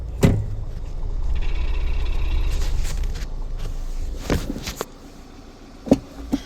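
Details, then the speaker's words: Mini pulling away in first gear: loose, uneven rattle inside the gearbox over low engine drone; rattle in all forward gears but none in reverse, so flywheel now doubted; cause not yet found. "So look, first, you can hear it straight away. I hope you can anyway."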